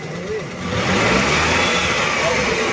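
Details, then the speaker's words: Car lifted on a jack, third gear engaged, right front wheel spinning in the air: a smooth even whoosh with no growl. The right front wheel bearing is normal and fine; the left front was later found running dry. "बिल्कुल जो wheel है बिल्कुल ऐसा है कोई आवाज नहीं कर रहा है तो आपका राइट साइड का जो भील है राइट फ्रंट व्हील बिल्कुल ओके है"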